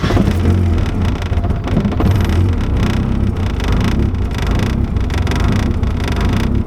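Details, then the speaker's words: E85 engine on a standalone ECU before startup and idle tuning: a deep, lumpy rumble that surges and sags unevenly right after firing up, showing a rough, unstable start. "first only take a listen to that startup from my previous video and just kind of hear how rough it was so you can see what we're dealing"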